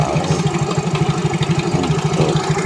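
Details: Yamaha Mio J scooter idling: fast, even metallic clatter from inside the engine on every firing pulse, not piston or CVT; very slack cam chain, fixed by replacing cam chain and tensioner.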